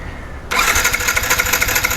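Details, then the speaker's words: Yamaha R15 V4 with misfiring and starting complaint, new ignition coil fitted: starter spins engine briskly in even fast churn but never catches; no current or spark, traced to metal dust on the pickup coil. "ഒരല്പം പോലും current വരുന്നില്ല എന്നുള്ളതാണ് പുതിയ coil വെച്ചത് നോക്കിയാൽ കാണാൻ പറ്റും അല്പം പോലും കറന്റ് വരുന്നില്ല"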